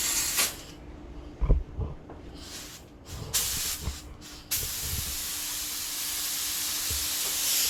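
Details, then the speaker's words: Spray gun priming an 81 Corvette hood at about 30 lbs passes air only; a few short bursts then steady dry hiss. Suspected clogged vent or stuck in air; cause unconfirmed, gun declared done. "yeah what's the issue with your gun sounds like it's stuck in air now"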